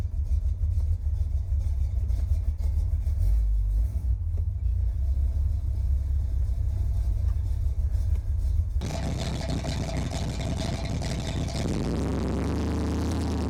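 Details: 1981 Chevy Corvette, brand-new V8 after electric fan, fuel line and filter, and spacer for overheating. Deep, steady rumble, then the sound changes as the engine fires and settles into a smooth idle. Normal idle.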